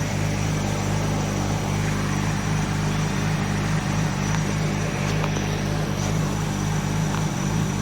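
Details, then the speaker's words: 1989 Nissan Skyline GT-R R32, RB26 engine, after refurbishment (fuel overflow hose leak fixed, rear diff bearing replaced): low, soft, even idle with steady burble, no misses or knocks; normal healthy idle. "Yes. Listen to that idle. Nicely done. Lum. Soft."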